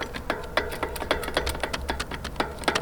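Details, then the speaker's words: Nukeproof Scalp mountain bike descending over roots and stones: irregular light metallic clacks, three to four a second, over quiet rolling rumble; loose chain slapping the frame. "... or ... the place where the most noise come from ... ... is the chain ..."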